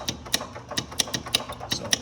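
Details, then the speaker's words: Club Car golf cart that won't run: starter solenoid gives sharp dry clicks, about five a second, no motor turning; solenoid pulls in but dirty internal contacts pass no current. Jumping with wire starts it. "the solenoid is working. The contacts on the inside are dirty and they are not allowing juice to flow."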